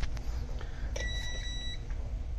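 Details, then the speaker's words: Semitrailer ABS wheel-speed sensor, cleaned and pushed back against the tone wheel after grease from a leaking seal pushed it away, tested with a meter at the ABS module connector while spinning the tire: clear steady beep; sensor good and working. "If you have sound like this when you're spinning it, it means it's good and it's working."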